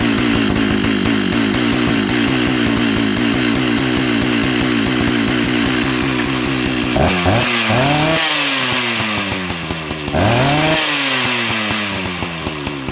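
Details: Jonsered 930 chainsaw project, restarted with covers on: starts, settles into an even high idle, blips to a clean screaming rev twice and drops back smoothly; running healthy.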